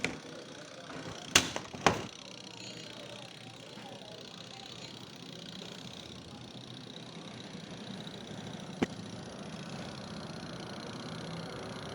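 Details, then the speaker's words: Semi-automatic twin-tub washer, spin-dry tub: quiet at first, then a rapid steady knock about three per second once the lid closes. Internal noise caused by a loose shock absorber that is missing its screw. "Cuando la cierro, comienza a pegar. Mira lo que encontré. Ahí no tiene el tornillo, el amortiguador."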